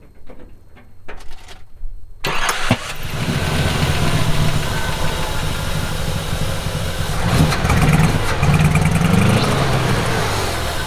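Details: Classic Buick on Route 66 road trip after replacing failed distributor, rotor set to old position, timing not yet checked: brief crank, catches and settles into steady even idle without misses; normal start.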